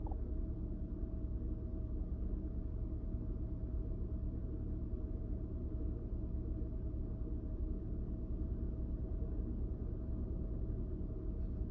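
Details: 2000 Honda Odyssey with a rough idle, RPM and O2 sensors being checked: deep, low idle with an uneven, loping pulse around two per second and a faint steady hum on top.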